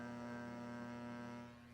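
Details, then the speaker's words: Williams PinBot pinball machine after sound board capacitor replacement (leaking caps, wrong 22µF fixed to 10µF): constant low mains hum through speakers, unchanged; capacitors not the cause, source unconfirmed. "So, I'm going to go ahead and put it back in the machine and see if it gets rid of our hum and our distorted sounds. H. We still have hum. You can hear it has not changed at all."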